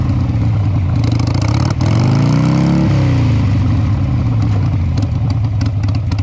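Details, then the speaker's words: 2002 Harley-Davidson Sportster after carburetor cleaning, open pipes with no baffles. Loud, loping V-twin idle with one quick throttle blip and a slightly ragged beat; no smoke from the exhaust, so owner suspects it may be running a little lean. "thank you well there's no smoke coming out you might be running a little bit lean"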